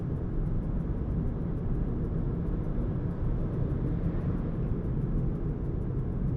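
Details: Renault Zoe second generation (2019-2024) on a test drive after electric motor repair for a noise complaint: steady low road rumble, smooth even drive, no whine or grinding; no extraneous noise.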